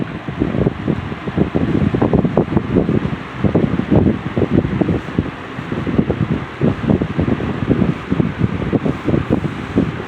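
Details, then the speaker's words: C&H Wizard box fan after motor swapped from another box fan, on low speed: soft low whooshing with gentle uneven air pulse, steady motor, no rattle or scrape; normal running on low. "This has a really good really good low speed. I don't know if you I don't know if you can hear it on the camera, but it has like a like a really cool line sound."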